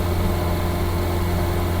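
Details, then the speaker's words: Classic Reliant Regal with engine the owner rebuilt after finding it seized, heard while driving: even, steady hum with no knocks or misses, smooth as a sewing machine; healthy. "Smooth as a sewing machine, that engine, if I do say so myself. This one I rebuilt when I got it."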